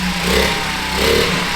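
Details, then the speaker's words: 1978 Honda Z50 with new 88cc big bore kit, first start after rebuild, burning off assembly oil: small single revs up and settles into an even, crisp beat with no knocks or rattles; sounds healthy, normal running before heat cycle. "she sounds good. I'm happy with that."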